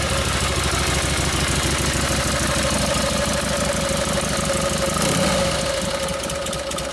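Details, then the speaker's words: 1952 Harley panhead FL bobber after a Linkert carb rebuild and tuning; loud loping V-twin idle at about three pulses a second, a touch uneven but steady; normal running, mixture may need slight adjustment. "well that seems to be working good now so you would you might have to play the mixer a little bit but it gets close"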